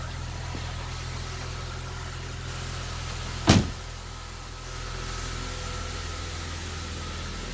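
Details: 2008 Saab 9-3 2.8 L V6 just started after alternator replacement, charge light staying off: smooth, steady low hum with even pulses and no knocks or squeals, one brief thump; idling cleanly.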